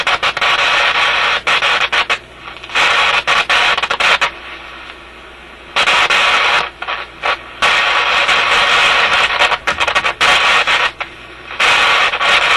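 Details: Canadian General Electric KM-5 vacuum tube radio, old paper capacitors replaced, harsh crackle bursts cutting on and off every second or two; intermittent fault in the audio output stage near the output tube, suspected heat-related contact or bad tube contact.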